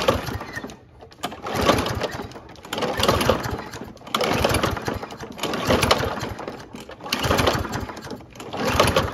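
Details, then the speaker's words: Toro Recycler self-propelled mower, Kohler engine, made 2016, likely dirty carburetor: repeated pull-start cranks, engine almost catches but won't run; starting fluid and carb spray tried next; no start. "it almost sounds like it wants to i'll do two more then we'll try some starting fluid"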